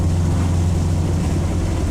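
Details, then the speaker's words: 1995 Honda Civic EJ coupe after densely packing cheap eBay muffler with fiberglass insulation to cure rasp around 4,000 rpm: deep, smooth, steady exhaust drone with no raspy edge; clean, healthy tone. "I'm definitely impressed with the sound that this little $10 fiberglass insulation did to the tone of the exhaust."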